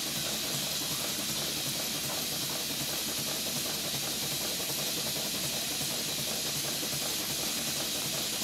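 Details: Stuart Twin Victoria model steam engine on a ceramic-burner boiler: a soft steady steam hiss with a light, even, quick chuff and no knocks; running normally and smoothly.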